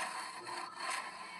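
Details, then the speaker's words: Ceiling fan after new bearing and rewinding, customer complained of noise: faint soft scratching rubs repeating as fan turns; canopy cover touching the spinning body, not an internal fault. "यह देख सकते हैं य ढक्कन इसमें touch है यह इसकी वजह से य खच खच की आवाज आती है"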